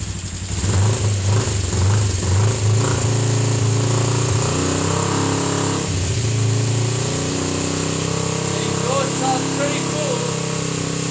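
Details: Freshly reassembled, serviced Kawasaki GPZ500S (498cc twin, carburetted, started after priming carbs) just started easily, settles into a steady, even idle with a few clean throttle blips while warming up; runs smooth.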